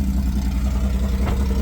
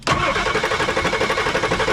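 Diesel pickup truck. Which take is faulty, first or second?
second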